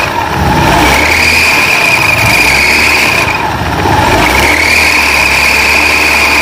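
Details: Honda Beat FI scooter CVT after replacing a worn, broken drive belt, previously very rough and not moving: engine revs up and down twice with a steady drive whir rising with speed, no slipping or clatter; belt drive healthy after repair.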